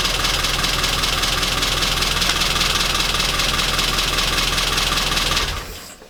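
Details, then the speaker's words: Classic Mini after misfire fix with new rotor arm, distributor cap, spark plugs and readjusted timing: busy steady idle with quick even tick, no stumbles; running much better. "so my money's now had a new rotor arm new cap new spark plugs the timings been readjusted and it's running hell a lot better"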